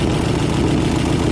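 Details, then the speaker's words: 1955 Ford V8, hot, idling with choke pulled about halfway to raise rpm: low, lumpy idle with an uneven skip; plug wires unplugged one at a time to find the dead cylinder; misfire traced to a bad spark plug wire. "basically what you're going to do you're going to take one wire unplug it see if you hear the engine get worse and better"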